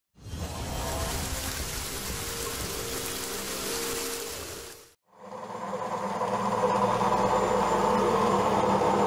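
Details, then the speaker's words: Old Zanussi washing machine on spin cycle gives a loud steady droning hum with rough rattling vibration, machine visibly moving; cause unknown. "Что-то гудит. Сейчас идет отжим. Просто интересно, что ж такое машинка? Вот вибрация, видно, как движется даже."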